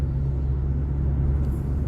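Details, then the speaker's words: Audi SQ5 after panoramic-sunroof and interior rattle-proofing work (broken OEM part replaced, trunk parts tightened), cabin recording over rough road: low steady road rumble; earlier front passenger-side ticks and rattles are now gone, quiet cabin. "원래이 정도의 길 안 좋으면 딱 딱 원래 처음에 그 이후에는 앞쪽에서 다른 데서 딱 딱 소리가 났었는데 지금은 안 나죠"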